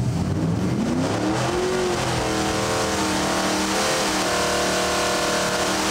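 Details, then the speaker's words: Junkyard Ford 390 FE with supercharger at 6 psi boost, reduced timing, 9.26:1 compression, on dyno: wide-open pull climbs smoothly to 6,500 rpm, no knock or miss; 585 hp at 6,500, 507 lb-ft at 5,400. "That is 585 horse at 6,500. And again, torque is going to be a little on the low side, 507 at 5,400. That was with 6 pounds."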